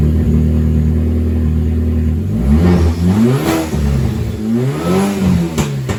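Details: VW GTI 2.0T after rebuild with exhaust and intake valves redone: even, steady idle then several clean revs rising and falling smoothly, no knocks or rattles; engine sounds healthy.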